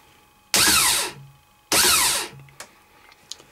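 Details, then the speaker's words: Pre-engaged starter motor bench test, solenoid bypassed by feeding battery directly to starter lead: two short high whirring spins winding up and coasting down; starter motor okay, fault is the solenoid, which needs replacing. "so the fact the starter turns over proves that starter's okay and the problems with the solenoid which will need to be renewed"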